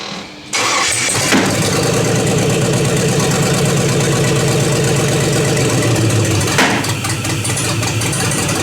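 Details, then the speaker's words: LS V8 swap with homemade headers, started without its ECU: fires up, then idles lumpy and uneven with stumbling pops. The misfire was traced to a coil pack mounted upside down, and a vacuum leak was plugged. Oil pressure is good. "So a minute ago you seen how bad it was running, right? Good thing there's a lot of people that do these swaps, because I just found out what happened was, you'll notice my coil pack is upside down."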